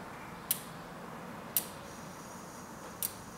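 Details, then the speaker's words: Bicycle wheel on a truing stand during spoke tensioning: sharp single ticks about once a second as the wheel turns, the rim rubbing the indicator at a high spot; fixed by tightening nearby spokes a quarter turn. "okay so it was hitting on these so I can tighten this and this again for one quarter turn"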